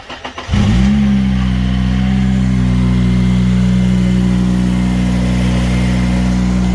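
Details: Honda Civic Type R FN2 just fitted with a Piper sports cat and Piper 4-1 branch manifold: cranks, catches within half a second and settles to an even idle with a strong low exhaust tone. Smoke after this start was thought to be grease from fingers burning off. Normal start.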